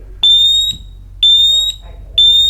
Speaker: I'll let it go, and now it chirps, and every other one that's attached to it will start to chirp as well.